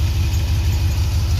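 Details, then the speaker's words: Toyota pickup 22RE engine, radiator leaking and low on coolant: deep lumpy idle with uneven low beats, worse than before start; rough running, failing engine computer later replaced. "come on that's ah that's worse than what it was when i started before i started it"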